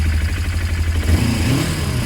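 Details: Project motorcycle on its current quieter exhaust, lighting up easily: single-cylinder thump at idle, then a clean blip that rises and falls smoothly with no misses or rattles. Owner says it now runs perfectly.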